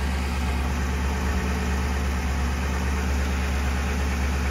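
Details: Ford Crown Victoria/Grand Marquis/Town Car after a fuel filter change, no leaks: smooth, steady low idle rumble with no misses, ticks or surging; engine running clean and healthy.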